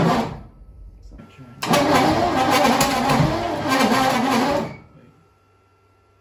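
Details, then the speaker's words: 1959 Corvette with Rochester four-jet carburetor (no accelerator pump), temporarily wired after sitting 30 years: steady starter cranking that never fires; the cause was ignition timing set 180 degrees out, corrected by flipping it around. "i was 180 out what we did was we looked at the mark the first time and then the vat one of the valves are actually starting to open that was incorrect"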